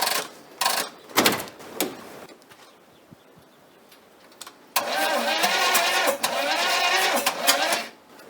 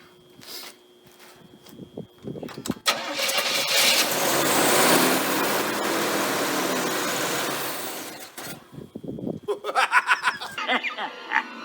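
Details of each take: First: 1980 Chevy Monte Carlo, sat for an unknown time, no carburetor fitted, old oil, gas poured down the intake, cold weather: cranks in uneven bursts with weak catches but never runs; timing suspected off, not confirmed. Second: 1980 Chevrolet Monte Carlo with a Chevy small block, sat for an unknown time, fuel poured down the intake: a few slow cranking turns, then it starts cleanly to an even fast idle and shuts off. Sounds good; oil change planned.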